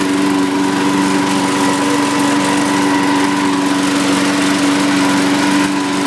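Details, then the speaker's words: John Deere 21-inch self-propelled mower with a Briggs engine, blade brake removed: even, steady single-cylinder drone at a constant pitch with no misses or knocks. Normal running. "up you can hear it it's a really nice SN and everything seems to work really well"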